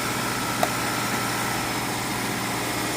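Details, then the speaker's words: 2026 Subaru hybrid after a jump start from a jump box; the petrol engine catches and settles into a steady, even hum at idle with no misses or rattles, running normally. "Sounds like we did. There you go. It's up and running. And there goes the gas engine."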